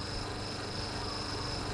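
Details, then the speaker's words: Twin-tub washing machine spin-dryer motor tested on bench on aluminium plate, spinning counterclockwise, no electrical leakage: steady smooth electric hum with light buzz, no rattles or scraping; quiet, motor confirmed working. Normal running. "suaranya masih halus nih pak tidak Berisik padahal ini di atas seng ataupun plat dinamo plat bukan betina Pak aluminium Pak"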